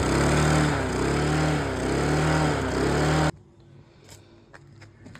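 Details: Mountfield LS45 mower with Briggs & Stratton engine rescued from the dump, old carburetor refitted and primed: catches and runs with a steady, even chuff for a few seconds before cutting out; starts and runs fine.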